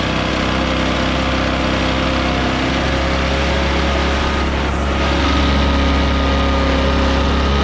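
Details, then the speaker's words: Echo PB650 backpack blower, barn find unused for years, running on fresh gas after the old gas was drained: a loud, steady two-stroke drone at even speed with a strong low buzz, blowing gravel around. Normal running. "wow well it seems to work pretty good and that's powerful enough to blow that gravel around make a heck of a dust storm"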